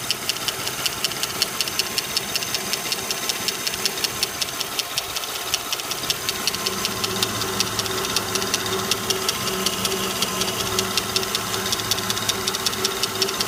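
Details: Lincoln Town Car V8 at steady idle: quick, even metallic top-end ticking that keeps pace with the engine; owner suspects a valve lifter, cause not confirmed.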